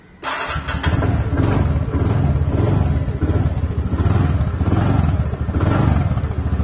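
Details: 2018 TVS Ntorq 125 after a new battery replaced the 3-year-old one, with a starter relay that sticks: fires and settles into a lumpy idle with an odd low rumble; cause unclear.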